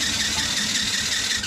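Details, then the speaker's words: Cheap TaoTao 110cc not starting, after sitting a long time: quick, light, even cranking beats under a high squeal with little resistance; compression test reads about 70 psi, owner suspects loose cylinder head; low compression. "this thing is almost no compression yeah we're right at about 70 pounds of pressure here"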